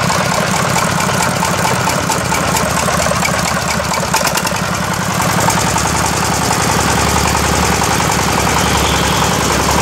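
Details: Yamaoke ZS1100 16 hp (16.5 hp max, rated 2200 rpm) direct-injection single-cylinder marine diesel on test: loud, even clatter at about three and a half beats a second, no misses or knocks; normal running.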